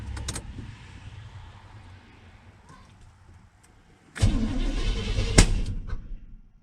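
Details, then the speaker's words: 1983 Chevrolet C20 truck first start attempt in about 7 years on a borrowed battery: quiet churning crank, then a loud pop and a second sharp bang without catching; backfiring, adjustments needed; crank with backfire, no start. "backfire scared me for a second another backfire i might have some preparatory adjustments to do"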